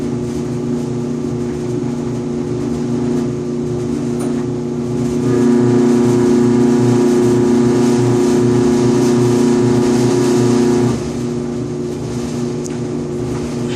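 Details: Five-year-old Electrolux EIED55H dryer with a steady hum that swells into a loud buzzing drone with vibration, recurring every 45–60 seconds. Fixed by replacing the blower assembly 134690800; the motor bracket 134707400 was also replaced.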